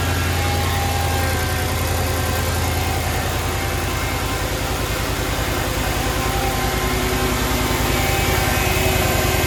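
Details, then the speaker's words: 2006 Mercedes-Benz E55 AMG started after valve cover gasket replacement, coil packs and injectors refitted: steady even idle, smooth low burble about 200 pulses a minute, no misses or ticks; no leaks found. "Now I'm gonna start it up and make sure that it's running good, there's no leaks."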